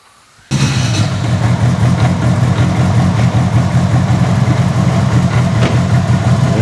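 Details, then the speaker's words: Mitsubishi Evo 8 making about 800whp, with GSE S3 cams, first running after its rear differential was replaced when the pinion gear sheared: a deep, steady rumble with an even, unbroken pulse and no knocks or rattles. "That sounds nice. It's alive. Yeah, it's alive."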